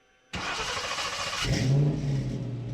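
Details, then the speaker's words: 1966 Mustang with 4.6L modular V8 swap and new 2.5" exhaust, restarted: fires instantly, quick clean rev climbs and drops, then a deep, even idle settles; healthy start. "ah sounds so good all right i'm gonna start it up one more time yeah one more time for you guys"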